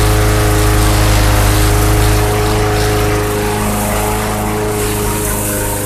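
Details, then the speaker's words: Bolens/MTD 11A-B0BL765 21-inch push mower, 2014, 140cc Briggs & Stratton 500 Series engine, after no-start repair caused by old fuel and tank cleanout: steady, even single-cylinder drone, no stumbling or surging; runs great, ready to mow. "all right well that's running great couldn't ask for no better it's ready to mow grass there okay"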